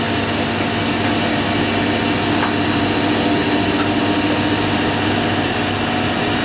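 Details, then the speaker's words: Indesit IWC71452 washing machine, 1400 rpm model, spin ramping from 800 toward 1400 rpm: steady even whirring hum at constant level, no knocking or rubbing; spinning normally. "Machine's wrapping up from 800 now. I think it follows the same programming as the integrated I had."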